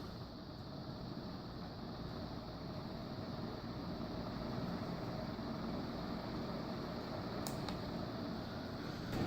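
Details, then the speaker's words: Demco industrial fan in a fan museum, running with a quiet, even hum and soft steady air rush, no ticking or rubbing; normal running. "This is another one that seems to run with no issues."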